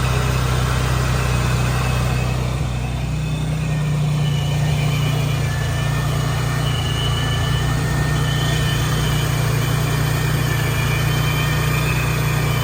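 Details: Procharged Nissan 350Z after fitting a new, tight supercharger belt: steady low idle with a faint whir on top and no squeal or chirp from the belt, running smooth and even; pulley issue and a possible leak still to revisit.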